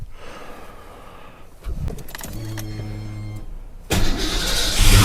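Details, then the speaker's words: 1991 Ford Mustang LX 5.0 V8 cold start in 30s°F weather after long winter storage, on a swapped battery: starter spins briefly, engine catches with a deep rumble and settles into a steady, smooth idle; normal cold start. "man that 5.0 listen to that thing butter"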